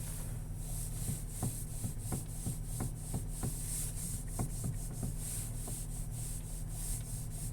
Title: Стук при вращении руля Nissan X-Trail T32